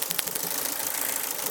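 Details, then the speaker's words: Ford Focus misfire test with a spark lead pulled: lumpy idle with uneven, stumbling pulses as one cylinder drops out. The fourth coil lead shows very weak spark compared to the others, pointing to a faulty coil pack or lead. "And the fourth one seems to have very, very little power coming out. The fourth one seems to have very little power coming up. It's not shooting as it should."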